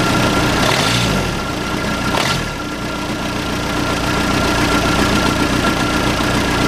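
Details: Case 580C backhoe diesel, sat 10 years, started with ether and no coolant: steady, even diesel clatter at idle with smooth firing rhythm, no misses or knocks; normal idle, sounds pretty good.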